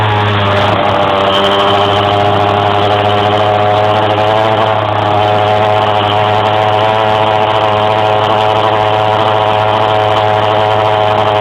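Steady engine drone that holds flat instead of climbing, the revs lagging as it pulls; hesitation under load, cause unclear.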